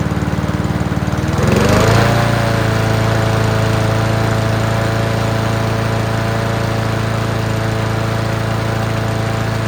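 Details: Free Honda mower: catches after a second, rises and settles into a smooth steady run without misses. Healthy engine, still needs minor tune-up (plug, throttle cable, fuel lines).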